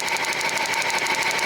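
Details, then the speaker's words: 2007 Jeep Wrangler Rubicon Unlimited 3.8 V6, code P0302, no spark on cylinder 2, second plug wire pulled for spark test: rapid even ticking over a shaky, lumpy idle; misfire worse with two cylinders dead. "okay we just abled another cylinder the M got worse but we have spark see what it should be"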